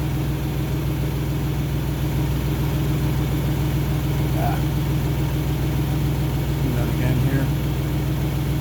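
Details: 2002 Isuzu Trooper LS, 3.5 V6 6VE1 with 4L30E transmission, idling after an alternator replacement cured its stalling and drivability issues: steady, even low rumble with no surging, dips or misfire; alternator AC ripple about 173–200 mV, within spec.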